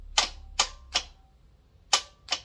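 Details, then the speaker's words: Mazda BT-50 work ute: sharp single clicks, two or three a second, with no cranking as the starter solenoid chatters; no-start from a flat battery. "so you can hear it trying the battery splat"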